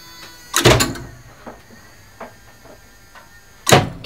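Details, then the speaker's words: Elevator mock-up run by an original relay controller for a two-speed licensed lift, the cabin stopping at every floor; sharp bursts of clacking relays with lighter single clicks between them at each floor, normal relay switching. "It should stop at everyone stop. So let's listen to the relays clatter."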